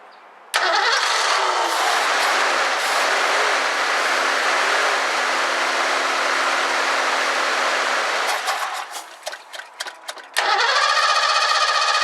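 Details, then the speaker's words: 1984 Ford Mustang GT350 carbureted barn find, with carb cleaner sprayed in, gas smells bad: long crank, a few uneven sputtering bursts that fade, cranking resumes; fires briefly then dies, fuel pump failure suspected. "I just tried to start it it fired for just a second and then it died"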